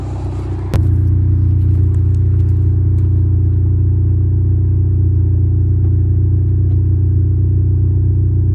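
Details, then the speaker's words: 1989 Honda Civic EF sedan revving with the whole rear section of the exhaust pipe broken off and missing; deep, loud droning rumble with a raw pulsing note and little treble; exhaust leak from the broken pipe. "So the whole back end of the pipe is missing. Everything under here is gone."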